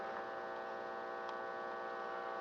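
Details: Philco 84 radio under repair: steady low buzzing hum from the speaker with no station or program sound, volume control and tuning change nothing; hums but isn't receiving, cause not yet found.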